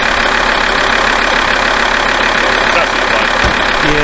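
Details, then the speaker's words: Alfa Romeo 159 warming up at idle with air conditioning switched on, after fixing the squeaky accessory drive: steady clatter, no belt chirp or squeal; fixed, running as well as before. "That is fixed. The car's running as well as it did before, and hopefully I'll be able to get into it at this point and go for a nice long drive to Portsmouth and Rugby and Liverpool, because that's exactly what I'm doing in a couple of days."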